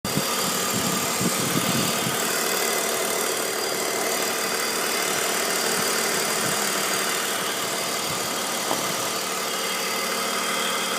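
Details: 2002 BMW 530i idling: steady airy hiss over a smooth idle with no knock. Owner suspects the CCV or vacuum lines, and also suspects worn VANOS seals and rattling VANOS bearings; cause unconfirmed.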